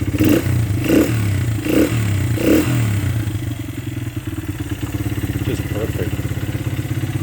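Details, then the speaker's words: 2001 Honda XR100R, restored, first start with fresh gas: idling with a light rapid metallic clatter over the beat from cam chain noise, which went away after adjusting the cam chain adjuster. "had a little bit of a cam chain noise and then i adjusted it right here and i can't believe it it just went away"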